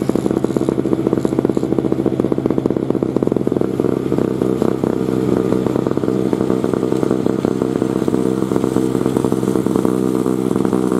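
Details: 2003 Murray single-stage two-stroke snowblower, sat 5 years, revved clearing snow: crisp, rapid crackle holding steady with no misses or bogging. Healthy small engine under load after first-pull start.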